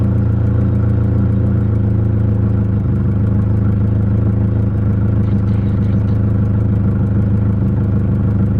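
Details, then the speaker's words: Nissan 240SX KA24E idling after cleaning the IACV for cruising hesitation: deep steady idle hum holding one pitch, no hunting, stumbles or ticks; stable idle. "so far so good just looking at the idol"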